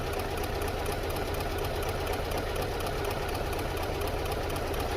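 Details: 2008 Subaru Legacy petrol engine idling lumpy and uneven with code P0302, cylinder 2 misfire, check engine light on; caused by a faulty ignition drive signal from the ECU, fixed by ECU repair.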